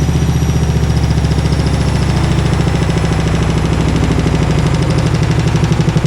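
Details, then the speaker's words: Maloney washer at 1100 rpm spin: deep rumble with fast rhythmic thumping as the drum spins hard; the machine has shaken itself off level and is walking. "Oh, she's unleveled herself, that's what's happened. Whoa! Really intense."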